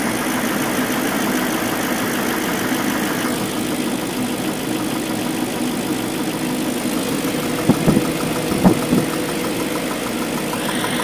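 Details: BMW M62B44TU V8 with stock exhaust, before tensioner replacement: steady idle carrying a light metallic rattle with a few sharper clatters, timing chain rattle from a worn chain tensioner.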